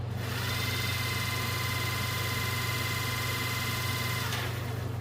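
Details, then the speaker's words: Generator for a 1963 Ford Fairlane 260 V8 motoring on a test: steady even hum with a clean constant whine, slow and consistent, no drill-like noise like the previous unit; spinning healthily. "definitely sounds a lot better the other one didn't make didn't make that near that noise like a drill and i'm doing it's pretty slow it's pretty consistent"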